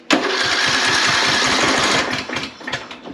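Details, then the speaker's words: Craftsman LT3000 lawn tractor, crank no start with spark and compression present, starting fluid sprayed into the intake: starter cranks at three to four beats a second but never fires; cause found to be an intake valve stuck closed. "like he wants to do something all right still not anything there"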